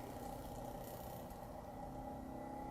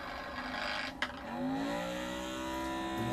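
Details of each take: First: Magnetic resin mixer stirring 3D printer resin with a plastic-coated magnetic pill, speed cranked up but not full, after adjusting for imbalance from the bottle's bevel: steady even hum with no chattering, running normally. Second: Magnetic stirrer mixing 3D-printer resin in a bottle with a non-flat bottom, speed cranked too high: sharp clack, then a whirring tone sliding upward as the plastic-coated stir bar flies off its center pivot and stops stirring.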